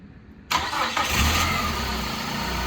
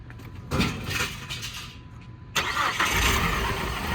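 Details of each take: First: 2002 PT Cruiser sitting 9 years, after refitting the original crank sensor in place of an aftermarket one (cam sensor already OEM): brief crank, catches at once and settles to steady, even idle; starts cleanly after fix. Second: 2002 PT Cruiser sitting 9 years, after head replacement, new computer and cam sensor: cranks, stumbles, catches, then uneven lumpy idle with irregular beats; suspected bad gas or misfiring.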